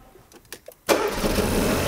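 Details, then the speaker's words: A car is started again after earlier trouble from low voltage: a few faint clicks, then the engine catches on the first crank and settles into a steady, even idle. Shortly after, an engine oil pressure warning appears. "So, jetzt starten wir den Wagen. Wenn er dann müsste ja jetzt wieder anspringen."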